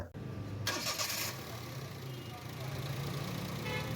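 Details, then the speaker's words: Toyota Vitz after repair for long starting with black plugs (air mass sensor replaced): brief crank, catches at once and settles into a steady, even idle; starting now good. "माशाल्लाह गाड़ी की starting अच्छा हो गया"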